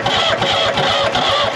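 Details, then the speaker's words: New Holland L783 skid steer, hard start from auction, starter fluid sprayed in the intake: steady cranking about three turns a second, nearly catching but never firing; no start until the diesel fuel system was primed and bled by cranking. "So, I had to prime this with diesel, then bleed this out by cranking the engine."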